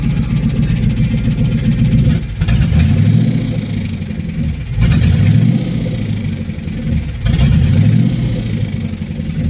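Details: Engine revved in repeated blips, with a loose knocking beat over the low drone that rises with speed. Owner is unsure whether it is rod knock, a lifter or the timing chain: engine knock.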